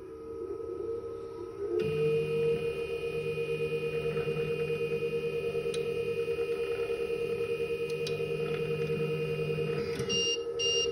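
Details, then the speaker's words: Spinshot machine after fixing Alarm 4 by straightening a bent bolt and resnugging it: power-on gives a short beep, then steady motor hum with soft regular pulse; normal startup, no alarm. "there you go did you hear that beep that means um the system is working correctly there is no alarm for it's fixed and ready to go"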